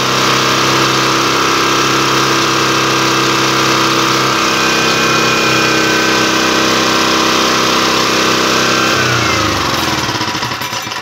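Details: Yasuka generator engine, long unused and with a broken crank, running during an electrical output test: a steady, busy single-cylinder drone at a constant pitch that sags and dies away near the end.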